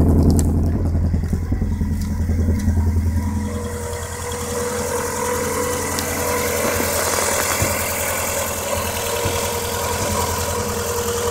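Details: Vauxhall Corsa SRi x14xe petrol engine with R6 bike carbs and Megajolt ECU idling unevenly with occasional stumbles; misfire traced to a broken HT lead, replaced, and main jets enlarged as engine ran lean.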